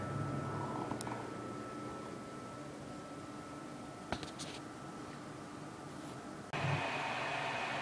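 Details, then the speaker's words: AMD R9 290 graphics card in a HAF-X tower with an FX-8350 CPU: quiet hum, then the fan ramps into a loud steady rush between game rounds; default fan curve (47% at 95C) makes it loud, less so after changing to 47% at 70C. "yeah and this is uh the noise it makes between rounds when uh rounds over it usually kicks in so it's not that bad it's not as bad as it was"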